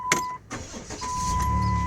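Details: 2008 Dodge Grand Caravan with a rebuilt engine: a brief chime, then the starter turns over and the engine catches cleanly, settling into a steady, even idle. Normal start.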